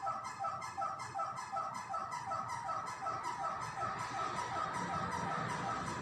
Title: Fan is Making a Strange Noise